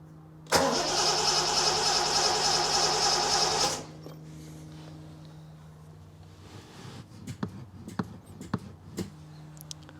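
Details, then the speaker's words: 1973 TVR 2500M, first start attempt after new wiring harness and new ignition switch: about three seconds of healthy, even starter cranking without firing; owner suspects little fuel in the float bowls, choke not yet installed. "I don't have the choke installed yet, so my guess is I don't have a lot of fuel in the bowls, but I'm gonna take a walk around."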